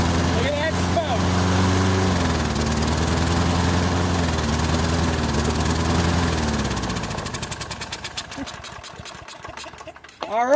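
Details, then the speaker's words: Toro Recycler 22-inch push mower, Briggs & Stratton 190cc, running while AMSOIL Power Foam saturates the carburetor: steady running, then pitch sags and the beat slows and stumbles until it nearly dies, bogged out by the cleaner. "right, so just get a couple shots of it in there, and then I just completely saturate it and let it bog out."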